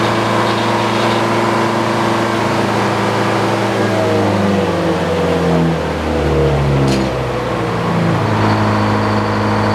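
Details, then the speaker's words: Detroit diesel powering an old Frick sawmill, sawing and trimming boards: steady drone whose revs sag, dip repeatedly and recover unevenly, hunting under load; owner suspects it is running out of fuel, tank level not checked. "well I got a little more clean up to do some more trims to do but it sounds like Detroit might be running out of fuel I haven't checked it"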